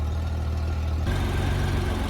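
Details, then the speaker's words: 1994 Honda GL1500 Goldwing Aspencade after fuel pump replacement, warm after running over 20 minutes, no smoke: smooth, steady low burble, even firing, no knocks or misses; healthy idle, though temperature gauge apparently not working. "all right Mike's been running for a little over 20 minutes um no issues"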